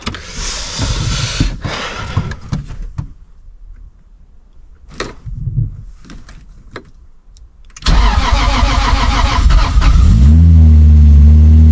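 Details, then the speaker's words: Roughly 1000 hp Toyota 2JZ with aggressive camshafts on first start-up, break-in meant to be held at 1500–2500 rpm (about 1800): catches and settles into a heavy, loping, uneven, chopping idle of about four pulses a second; lumpy idle typical of big-lift cams. "et là avec ses arbres à Cam là ça va normalement ça va faire un sale bruit au ralenti"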